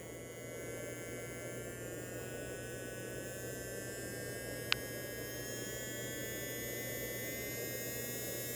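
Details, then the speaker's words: Frankentrain Laboratories smoke assembly wet test, fan voltage raised to simulate higher speed: steady electric hum with a thin whine that climbs smoothly as voltage rises, fan pitch changing cleanly, healthy small fan motor. "more fan flow here we go you hear the pitch change see the number change"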